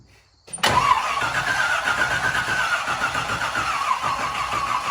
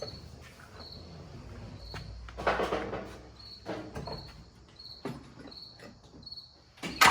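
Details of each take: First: 1968 Chevy K10 pickup with swapped 327 V8, first start attempt, 12 volts confirmed at the coil: after brief silence the starter churns the engine at a lazy, dragging pace with no firing; slow cranking from low battery. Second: 1968 Chevy K10 pickup with swapped-in 327 V8, first start-up: quiet cranking and clicks on a slightly low battery, then it catches, gains oil pressure and settles into a steady, even rumbling idle; normal idle.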